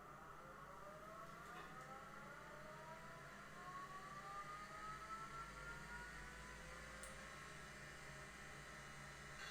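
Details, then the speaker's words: IBM 0665 MFM hard disk owned since the 1980s, powered on after a clean shutdown: soft whir climbing smoothly in pitch as the platters spin up, no scraping or clicking; healthy spin-up. "and drive has started up beautifully okay that's it diary uh i hope you agree that this is one hell of a drive"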